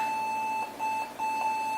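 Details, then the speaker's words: Apple Macintosh Performa 640CD DOS Compatible, starting its 486DX2 PC card: a steady mid-high beep briefly breaks up at power-on in a quiet room. It sounds like a failure beep but is normal; the missing video came from a misconfigured video dongle. "I love how that beep sounds like a failure beep. And that threw me off because I thought it was one too."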